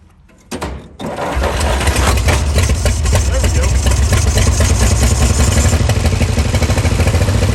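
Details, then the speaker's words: 1938 Dodge truck sitting 50-plus years, running after grounding spark plug wires were replaced with secondhand ones: catches after a brief stumble and settles into a fast, steady idle noticeably above normal; high idle. "She's idling a little high right now. We'll idle her about right there, maybe."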